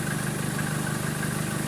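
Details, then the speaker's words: 2013 Chevrolet Colorado after the alternator pulley was replaced, idling with the aircon on: a smooth, even idle and steady hum with no ticking from the belt end; the alternator pulley now runs quiet. "Nawala na yung tunog. Nawala na yung tunog ng pulley na yan. Yan yung pulley na yan ng alternator. Tahimik na. Ayan. Tahimik na ngayon, Joel."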